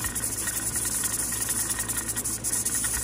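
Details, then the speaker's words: Vintage Mirro-Matic 6-quart pressure canner canning taco meat, just before the 75-minute timer starts: steady hissing with quick, uneven rattles from the regulator weight; normal venting at pressure. "Then we're gonna adjust our heat source down to where this is rotating 3 to 4 times per minute, and then we're gonna start our timer for 75 minutes."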